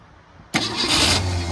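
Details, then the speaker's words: 1964 Ford Falcon wagon that sat 46 years, after replacing the original starter with a new one, no fuel supplied yet: starter spins the engine quickly and evenly with no drag, a huge difference; normal fast cranking. "Wow, that's insane. That's a huge difference."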